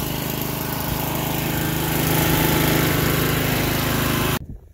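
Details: Toro 53 SP commercial self-propelled mower after refitting a belt that was off the blade clutch, blade disengaged: even, steady single-cylinder drone with no misses or knocks until a clean shutdown; running normally.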